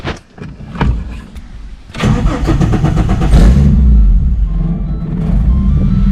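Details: Engine with turbo supporting mods, first start after loading a new ECU tune; fuel pump primed 2 seconds: a few uneven cranking chugs, then it catches and settles into a steady, strong low rumble; normal crank and start.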